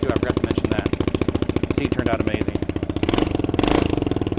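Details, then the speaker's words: $100 small automatic motorcycle restored for a beginner rider: fast, even putter with a steady beat and no knocks or misses, exhaust slightly loud; normal idle. "and that thing is awesome it runs extremely well it's a little loud but it's not bad"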